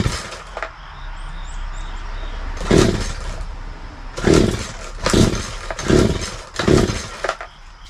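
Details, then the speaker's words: Craftsman 42cc 2-stroke chainsaw (like Poulan Wild Thing), primed six times, full choke: five rope pulls, each a short soft even cranking burst, never fires; weak compression suspected, cylinder and piston to be checked. "a little concerned about this. We'll have to check into it, but the compression seems to be a little off. It seems a little weak, so we'll have to check that before we get too far into this."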